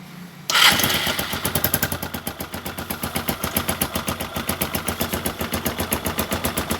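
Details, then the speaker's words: Engine at low rpm after Mesran Super oil is added to the Kixx 20W50 fill, catching into a quick, even put-put idle with no rattle; normal idle, smoother than before the Mesran Super was added. "Sudah tambah Mesran Super, idenya jadi lebih halus, tidak seperti sebelumnya."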